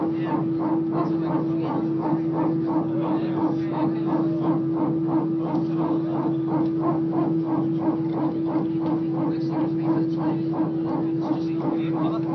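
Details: Loud cabin roar with a steady mid tone and fast, even pulsing during takeoff on an EasyJet flight from Belfast to Liverpool; source of the weird noise unclear.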